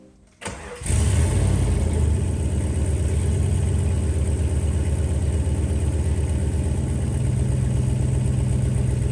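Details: Lifted 1995 Jeep Grand Cherokee ZJ V8 after fitting the cat and straight pipe, with clamps slightly too small leaving an exhaust leak. Loud, deep, boomy droning idle burble; the cat was possibly clogged, and a straight pipe and Flowmaster Super 40 came later.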